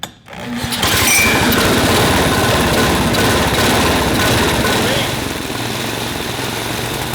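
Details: Junkyard go-kart with a Tecumseh 6.5 hp single-cylinder engine at idle: uneven, lumpy firing, stumbling rather than settling; rough idle, suspected clogged idle circuit in the carburetor, which was then replaced.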